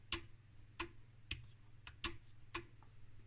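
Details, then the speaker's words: Homemade 1992 NiCd/NiMH charger-conditioning unit K1, relay disconnecting the separate charger section when switched into conditioning mode: six crisp, sharp clicks about half a second apart over a faint low hum; relay clicking, normal switching. "And in this mode, this is not used. This is disconnected by a relay. You can hear the relay."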